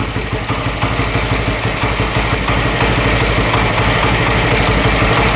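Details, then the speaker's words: Harley Sprint 350 single-cylinder motorcycle from the 1970s, police-seized and auction-bought, with dual pipes, on its first start in about 18 years after fuel and carburetor checks; hard to start, possibly from a plugged exhaust. Now an even, steady idle thump, about three beats a second, no knock or misfire; normal idle. "I really like like the sound of it sounds really cool all right that is awesome first start in probably 18 years just crazy"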